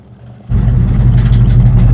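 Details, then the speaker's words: Cadillac drag car during a burnout: the drive belt flew off, leaving no water pump drive, and the engine went to 5,000 rpm; a full roar with fast choppy stutter as it hits the rev limiter. "You don't have a water pump anymore. Belt flew off? Yeah. Went to 5,000 RPM, hit the rev limiter."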